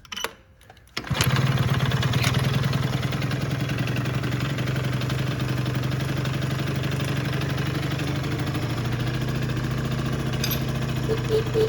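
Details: Yamaha Jog two-stroke scooter on an about-85 main jet, before the pod filter is fitted: it starts first try and settles into a steady, crisp idle with no misfires or hunting, running great.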